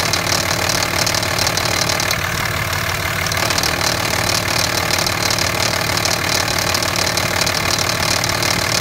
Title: Rattling grinding noise 2005 Cummins 5.9